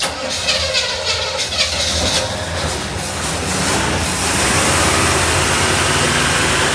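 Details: 1975 Chevrolet Monza with 350 V8: hissy, rough start that catches around four seconds after fuel was added to the empty carburetor bowls, then holds a strong, steady roar; normal start and rev.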